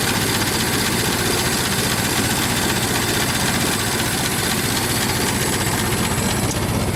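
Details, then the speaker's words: Ford Model T after cold start, spark fully advanced: steady rapid chuffing, no coughing or stumbling; running clean and healthy. "and we should be able to rev it up with no problems um without it uh gasping for fuel"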